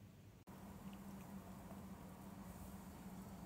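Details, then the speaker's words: EVGA ATX power supply fan after repair (a molded plastic burr catching the stator had caused clicking): soft, steady low hum spinning evenly, no clicking left; quiet and healthy. "ah nice and quiet now perfect now back to mining"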